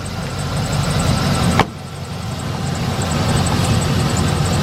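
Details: 2007 Chevy Express 3500 van, first start after final oil change following Motor Medic motor flush treatment for sticky lifter tick: steady low rumble, even idle, no ticking or clatter; valvetrain now quiet and healthy.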